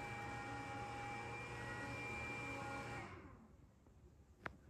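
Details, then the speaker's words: WalkingPad X218 dual-folding treadmill: the cooling fan, which turns on about 2 minutes into a session, runs briefly after stopping. A steady whirring hum with a faint whine lasts about three seconds, then winds down to quiet. This is normal fan run-on, expected given the powerful motor. "This model also has a fan that turns on about 2 minutes into the session and runs briefly after stopping. You can hear it here. Given how powerful the motor is, that's totally expected."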